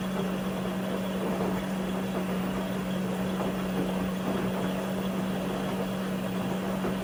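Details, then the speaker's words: LG WM4000HWA front-load washer, Allergiene cycle with steam: even pump hum with steady rush of water as all four TurboWash nozzles spray full blast, no knocks or surges; recirculation spray running normally. "but yeah all four turbo wash nozzles full blast love to see it"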